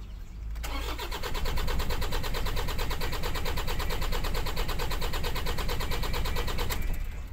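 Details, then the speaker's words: Toyota Innova after starter installation, handbrake on, neutral: strong even cranking about two turns per second for six seconds without dragging; starter now works but engine won't catch, possibly no fuel. "Nagredondo siya. Ha? Nagredondo pero ayaw mandar."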